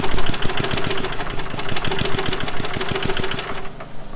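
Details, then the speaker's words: Restored rusty lawnmower single-cylinder engine starting after loose spark plug boot connection was fixed to restore spark: quick, even popping at a steady rate as it catches and runs; normal running. "okay now we're gonna try to start it up again oh oh it's been fired up"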